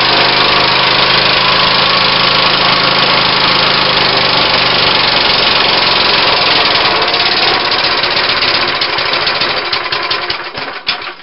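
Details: Briggs & Stratton lawnmower engine fitted with a homemade oak connecting rod runs at a steady, even speed for ten seconds, then fades and stops; no knocking, running clean.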